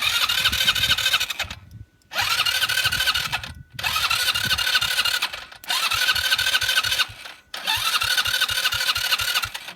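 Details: 2014 Kandi go-kart/buggy with a failed starter, cranked by bridging the starter terminals: four short bursts of fast whirring with compression pulses, but it does not start; fuel trouble suspected, and an electronic choke was fitted.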